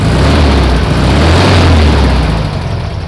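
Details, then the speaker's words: 1964 VW Beetle flat-four after new distributor, cap and plug wires, with idle timing set: steady low putter with even firing and no misses or knocks, a normal healthy idle. "there it is idle timing set"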